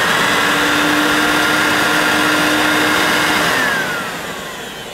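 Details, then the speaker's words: Hoover S2095 Quick Broom II mains stick vacuum, new in box, first switch-on: steady high motor whir with even airflow rush, winding down at the end; slightly poorly on wind-down but seems okay, sounds better as it warms. "Well, I suppose it doesn't sound too bad. I'm not really sure what it should have sounded like in the first place."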